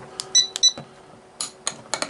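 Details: Sargent and Greenleaf S&G 6120 electronic safe lock with a recurring failure to open: keypad beeps, then a sharp solenoid snap, yet the bolt stays put; the lock does not release despite the solenoid actuating.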